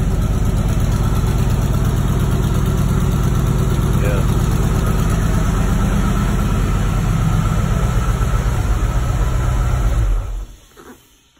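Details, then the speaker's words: 1987 Ford Mustang Fox body 5.0 V8, just started: deep, even burble holds a steady idle about ten seconds without misses or cutting out; sounds healthy. "idling good, it's not cutting out."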